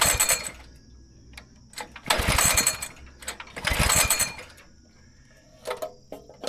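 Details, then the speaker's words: Go-kart engine after sitting about 3 years, run about 2 hours to burn out bad gas left in a tank pocket: surges in irregular bursts, nearly dying between them; still not running well but enough to drive. "So it's been like 2 hours and it still doesn't run the best, but it runs enough to drive it."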